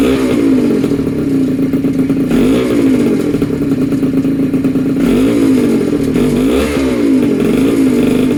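Small two-stroke holds a buzzy steady tone with a few quick rev blips rising and falling cleanly; running fine.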